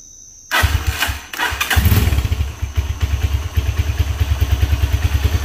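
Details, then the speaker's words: IGM Street 160cc motorcycle after repairing loose bolts and cleaning a dirty air filter: engine catches after a few cranks, then settles into a steady, even low putter with no knocks or rattles; previous noise gone, healthy idle. "es como debe estar sonando un motor y ahora voy a acelerar y escuche el que ya no suena absolutamente nada"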